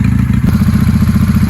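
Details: 1995 Honda Shadow 600 VLX VT600CD V-twin after fuel-leak repair: steady low lumpy beat at idle, even firing with no knocks or misses; normal idle.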